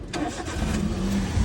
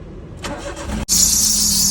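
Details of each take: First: Engine start after tightening the previously loose, squealing alternator belt: cranks and catches quickly, settling into an even low idle with no belt squeal; clean start, repair successful. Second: Engine cranks and catches, then a sharp steady high screech rides over the idle; loose alternator belt slipping, found after checking both the AC and alternator belts.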